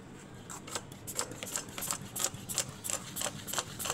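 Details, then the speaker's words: Honda Civic that arrived overheating with an empty radiator, cooling system pressure-tested: irregular spitting ticks and faint hiss as coolant escapes through a cracked small hose; overheating also cracked all four ignition coils. "Ada suara air. Dengeran, ada suara. Tuh, kelihatan kan tuh bocor airnya."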